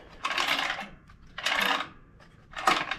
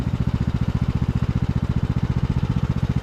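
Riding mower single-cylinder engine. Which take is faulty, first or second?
first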